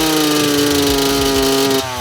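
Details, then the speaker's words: Two-stroke bike deliberately jetted way too rich by going up two main jet sizes: steady high buzzing rev that holds then drops away without crisp clean pickup; carburettor running too rich. "guys that was way too rich bought just to show you that only going up to jet sizes can make a massive difference"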